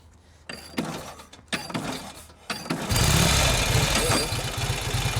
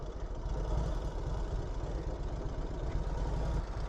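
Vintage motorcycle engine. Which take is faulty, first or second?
first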